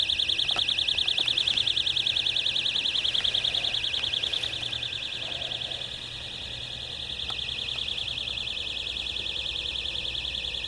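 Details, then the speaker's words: Outdoors at night at a riverfront marina: high shrill buzzing pulsing about three bursts a second, like a cricket times 100; traced to an electrical box, electronic alarm. "And there's some strange noise outside. It sounds like a cricket times 100. Could be the guy next door got something."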